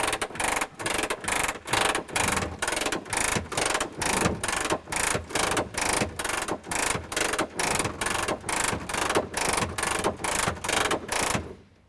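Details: Messerschmitt Bf-108 under restoration, handle twisted to down position and gear cranked down manually: steady ratcheting a bit over two strokes per second until gear stops down; crank working normally.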